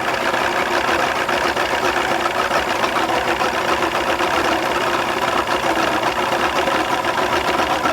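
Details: 2001 Mercury 200 hp EFI outboard on a ProCraft fish and ski, loses power under load and won't exceed 7 MPH despite many replaced parts; busy, slightly uneven churn with no single knock, rough running; mechanic suspects fuel injectors, stator doubted.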